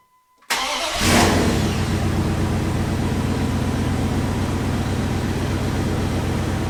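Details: Second-gen Ram with a single 12 V battery, jump-started from an extremely low battery using a jump pack in boost mode: brief silence, then the engine catches with a burst and settles into a steady, even rumble; a normal start.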